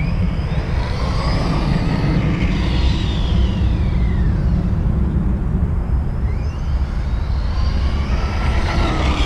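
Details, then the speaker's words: Arrma Outcast 4S BLX RC car on its first run on a 4S battery: loud, rough roar with a whine sweeping as it passes, much louder than the owner's 3S car. Loud drivetrain noise; owner thinks something needs tightening. "maybe I need to tighten it up a little bit more because he's super loud"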